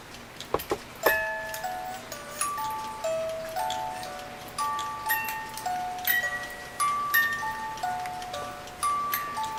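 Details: 1950s German-made Reuge wind-up ballerina music box alarm clock, tune possibly Vienna Life Waltz; clear plucked melody rings cleanly and evenly over a steady tick after reassembly, music alarm working properly.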